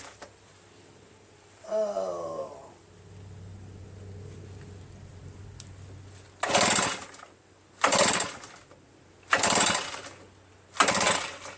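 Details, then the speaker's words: RedMax EBZ8050 commercial backpack leaf blower, reassembled from pieces, on choke with throttle mid and starting fluid: four recoil pulls with no firing; spark present, owner suspects carbon-stuck rings giving low compression. "Not a sign of any starting. Gonna have to check for spark."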